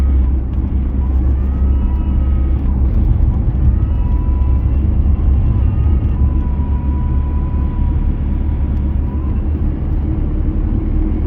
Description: navara d40 2.5 Whining noise. starts after 1500rpm seems to quieten down a bit of 2000rpm.